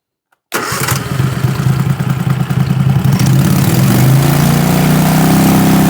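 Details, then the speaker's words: 20 HP Tecumseh twin-cylinder racing lawn mower engine with dual 34mm PVK carburetors held at 3,500 rpm: even, steady drone with no hunting or misses; pilot jet, needle clip 3, main jet and carb sync judged correct, engine basically tuned. "At 3 and a half th000 it sounds pretty steady to me. It sounds really good."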